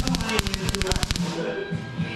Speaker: It's supposed to sound like you're cooking eggs. Yeah, well, it's not. It sounds like you're frying bacon. This ain't working.